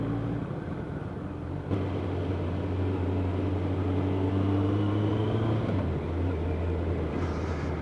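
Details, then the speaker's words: Kawasaki ZZR1100 (ZX11) after a new fan, coolant hoses and thermostat: a steady whirring fan hum over an even engine drone, stuck in traffic at 34°C ambient. Temperature is creeping up, but the radiator fan runs normally. "but i can hear the fan running so god if the fan stopped up you don't stand a chance the temperature goes through this roof"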